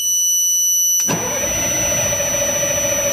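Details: Military LMTV truck, batteries charged to 28.2 volts, taped-over loud buzzer; steady high buzzer, then starter turns the engine over at an even pace without it ever firing: cranks but won't start.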